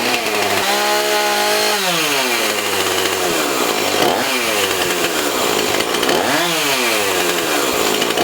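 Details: Husqvarna 450 X-Torq chainsaw, after carb diaphragm, primer bulb, fuel line and filter, rope rotor and sprocket replacement and chain sharpening, fired up on the bench: crisp idle, clean blips to a high scream and back, no bogging; runs healthy.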